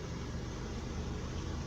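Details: 1997 Buick LeSabre after a VATS security bypass with a resistor, which cures its no-start condition. Low, even hum with no knocks or stumbles; it starts and idles smoothly.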